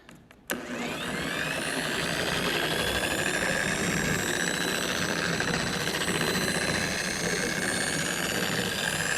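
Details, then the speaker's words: Maxshine M8S dual-action polisher on speed 1, spreading all-in-one polish: after a slightly delayed start, a steady high-pitched whine that sounds thin and weaker than the other polishers; the head is loose. "it just sounded high pitched way weaker than the other ones and this heads loose which probably tighten it"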